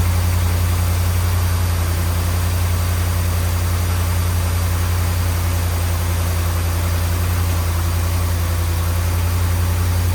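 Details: 2010 Ram 1500 5.7 Hemi V8 with suspected bad grounds and leaking gaskets, just started after fuel priming: steady, even low idle rumble, no knocks or ticks; sounds good.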